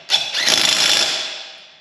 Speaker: did you hear the click that was the torque scrunch setting on the old DeWalt click click see good and tight